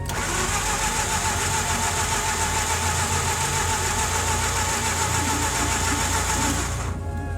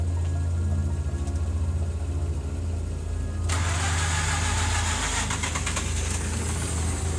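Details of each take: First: Mazda RX-8 Series 1 with suspected coolant seal failure, deliberately flooded, K-Seal added, gas pedal held down while cranking: steady fast cranking about three and a half beats a second, never catches; flooded rotary, long crank no start. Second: Mazda RX-8 Series 1 rotary with failing coolant seal, K-Seal liquid gasket applied after flooding, held gas pedal down while cranking: catches after a short crank and settles into a steady, even idle; starting quickly and cleanly now.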